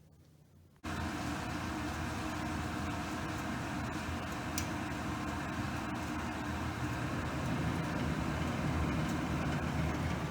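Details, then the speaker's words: Furnace after fan and limit control replacement, fan switch on automatic: after quiet the main blower kicks on and settles into a steady even rushing hum, no rattles or scraping, hot air coming out; working normally. "the main blower just kicked on, and now if we open this up, we can feel hot air coming out, and we do, so that's great."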